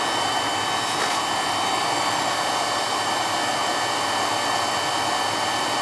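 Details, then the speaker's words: Carlin EZ1 oil burner that ran rough, likely from air in the oil line, after a new 0.85 60° B nozzle: steady even roar with no pulsing or surging throughout; burner firing smoothly and healthy. "she ain't got the shakes no more oh a lot smoother this doesn't have the parkinson's no more"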